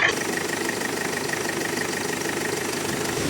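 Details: Diesel Kia Sportage towed in from Samar after it stalled and would not restart: after bleeding the high-pressure injector pipes and starting, it holds a steady idle with an even, light clatter and no misses or surges. ABS light only, no check engine light.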